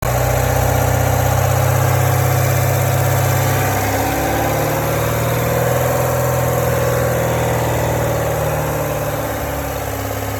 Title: 2017 C7 Corvette GS M7 Rattling Noise In Low RPM From The Engine Compartment